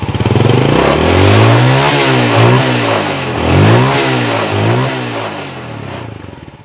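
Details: Yamaha Vega R New that was hard to start in the morning and weak on acceleration, after carburetor cleaning and idle adjustment: crisp throttle blips rising and falling cleanly without stumbling or popping; normal revving after service.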